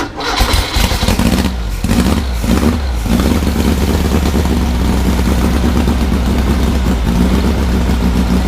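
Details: Freshly assembled 1600cc dual-port VW engine on a 1975 VW trike, started during break-in, 40 psi oil pressure at about 1000 rpm idle; fires quickly into a strong even beat, clean revs, no knocks or rattles.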